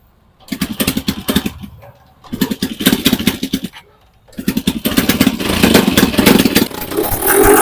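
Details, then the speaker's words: TVS Apache 4V motorcycle left standing a long time, after new spark plug, fuel and petrol pipe: stumbles through two bursts before catching, then runs loud, coarse and uneven like an old tractor; engine problem, heavy smoking. "उसके बाद में हमने start करने की कोशिश की तो start हो रही है लेकिन प्रॉपर तरीके से स्टार्ट नहीं हो रही"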